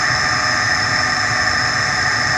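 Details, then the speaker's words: Worn blower motor running on second (medium) speed, with rust coming out of the bottom. Steady loud rushing roar with a thin high whine, drawing about 80 amps versus about 40 amps for the new replacement. Loud blower motor. "I can already tell we have a bad broiler motor look at the I get the rust coming out the bottom here let's check out my current amp [Music] speed I'm sure you can hear the blower motor how loud it is"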